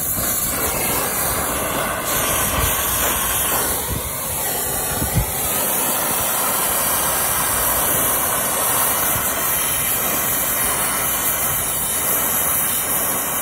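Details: Vacuum pump evacuating line sets on a new Hoshizaki ice machine install, reaching 956 microns: steady even hiss and motor drone, no surging or knocking; running normally.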